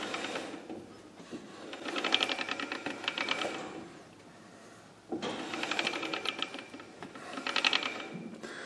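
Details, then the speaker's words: AMC 20 axle from a 1982 Jeep CJ8 with mechanical locker, wheel spun by hand: bursts of quick light clicks as side gears ratchet past each other; normal for this locker. "we spin it around that's that's what you're hearing a lot of the guys that call it a ratcheting style of Walker that's what they're hearing is the side gears clicking past each other"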